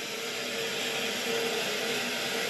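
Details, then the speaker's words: Neglected muddy steam boiler after sludge cleared and refilled to the sight glass, boiler switched back on: burner lights into a steady even roar with faint constant tone, no pulsing or rumble; normal burner operation. "should start up. Oh, it's running. All right."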